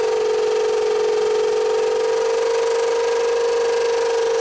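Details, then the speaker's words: 2000 Honda Civic LX, towed in after overheating, running rough and smoking with check engine light: loud steady whirring drone with faint rhythmic rasp at idle; timing belt likely hitting the heat-warped timing cover. "And I'm fairly confident that what we're hearing is the timing belt inside there hitting our cover."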